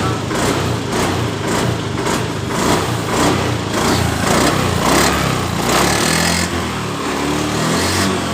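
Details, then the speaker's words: Honda Beat ESP scooter after replacing fuel pump rotor that caused low fuel pressure and stalling on throttle: engine picks up cleanly on throttle blips, revs rise and fall smoothly without stumbling; normal revving. "perhatikan motor hidup dengan normal eh setelah kita mengganti di bagian dari rotaknya eh motor ini langsung dalam keadaan normal"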